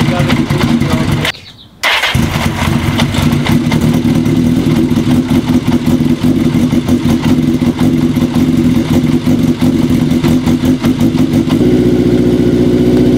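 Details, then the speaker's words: Kawasaki KZ750 four-cylinder, first run on all four cylinders after a worn intake manifold and boots were replaced, having long run on three: cuts out then lumpy, uneven idle. Compression is known good; suspected tuning issue. "doesn't seem to be running too happy on four cylinders uh as happy as it was on three but mind you it's been running on three for a real long time so that cylinders got to wake up a little bit"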